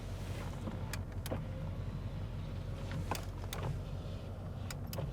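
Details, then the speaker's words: 1994 Chevrolet Suburban 1500, rear seat power window: steady low motor drone as the window travels, with light clicks at the stops; power window operating normally. "the power windows work, power locks work. Awesome."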